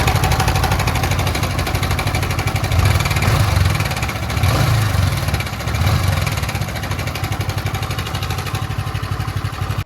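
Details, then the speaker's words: Yamaha MT-15 version 1 single-cylinder, idling with throttle blips: harsh rattling clatter swelling with revs; worn, loose timing chain, with dirty coolant and blackened head found on teardown, oil maintenance doubtful. "Engine से बहुत गंदा एकदम आवाज आ रहा है। मतलब खरखर खर कर मतलब टूट गया।"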